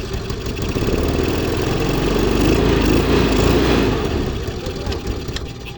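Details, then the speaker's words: Zip 125 scooter with a hard-start complaint: once running, its single-cylinder idle hunts up and down and fades as if about to die; the cause is an intake vacuum leak, suspected at the fiber gasket. "So mga bossing no umandar na siya no. Ang problema lang sa kanya taas baba ang menor tsaka ano papatay-patay hard start."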